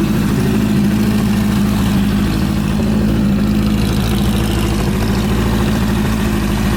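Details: Suzuki GS750 after top-end engine overhaul: steady four-cylinder idle with firm, even low pulse and faint valve patter; smooth, healthy normal idle.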